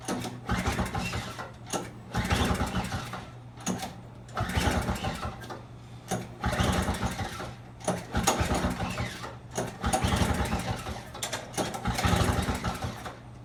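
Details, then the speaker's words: Trash-found Craftsman snowblower with cut fuel line, primer and electric start, given starting fluid: repeated pull-start bursts every two seconds that sputter and die; carburetor flooding with fuel, later started very smoky idling high. "Okay, it looked like the carburetor was flooding. It's definitely getting fuel. I got some of it out, and I'm going to try again."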